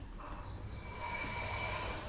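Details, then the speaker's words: Vehicle rear wheel turned by hand: thin, high scraping squeal building as it binds, freeing then jamming at one spot; rear drum brake dragging/jammed, before DIY rear brake wheel cylinder repair and brake fluid flush. "आवाज आ रही है। इस जाम, यहाँ पे जाम, ये एक जगह पे जाम है, फ्री होता है फिर जाम हो जाता है।"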